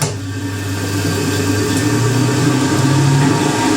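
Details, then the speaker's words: 1980s Ariston by Colston Electronic 3000 spin dryer, auto pump version, spinning up during a hose rinse-out of the tub: steady hum with a faint even whistle, which is air going through the slit in the middle; normal. "Nice whistle you get. All that whistle is, it's the air going through that little slit in the middle."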